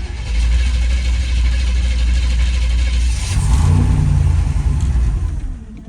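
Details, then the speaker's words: Old Chevrolet Colorado junkyard truck that sat unused, waiting for its fuel pump to kick in: long uneven cranking, about three or four turns a second, before it finally catches and revs; hard start, owner plans to buy a new fuel pump. "Let's see, that fuel pump will kick in a second, hopefully."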